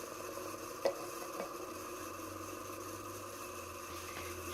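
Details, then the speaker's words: Sanyo EF-56FCP ceiling fan, made in Japan, free secondhand unit, running on low: steady low hum, hissy rushing whir and scattered ticks; super noisy, shakes a lot. "I got this for craig craigslist for free and it's super noisy they're not normally enjoy deal"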